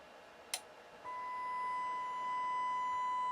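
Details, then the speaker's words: Pioneer SX-255R receiver on the bench with speakers and a scope: click, then a steady 1 kHz test tone with a buzzy edge and higher overtone; right channel low and distorted, missing half the sine wave, from a shorted output transistor. "the left channel sounds really good but the lote the right channel is low and distorted"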